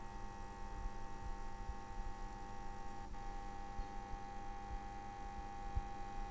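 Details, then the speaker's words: New 2017 APC UPS on standby, replacing a ten-year-old unit: steady low electrical hum with a thin high coil whine and faint fizzing, unchanging throughout and louder than the old unit. "why does in new ups need to make much more hum and fizzing even when it's on standby waiting for portage here listen yourself"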